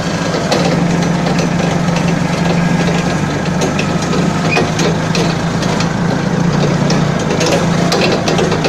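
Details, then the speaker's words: Balkancar forklift diesel after repair (engine rebuilt, clutch, brakes and running gear overhauled), glow-plug preheat button, hour meter not working: steady, even diesel chug with low drone, no knocks or misses; normal healthy running. "Ну так живой, да, состояние? Я смотрю, вроде свеженький погрузчик. Так что еще послужит хозяину, ох, верой и правдой."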